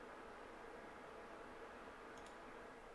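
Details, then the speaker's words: APC Smart-UPS unit after battery replacement, during self-test: relay clunk, then soft even constant-speed fan whoosh, no ticking, rubbing or wobble; self-test passed, normal. "let's just do a quick self-test nice resounding clunk and the fan spins up sounds good and still spinning"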